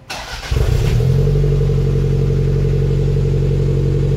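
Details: 1991 Toyota MR2 Turbo bought rough, fitted with a 2nd-gen 3S-GT turbo engine, a non-original turbo and homemade wiring. Quick starter whirr, then it fires at once and settles to a steady, even idle with no knocks or misses; a healthy start.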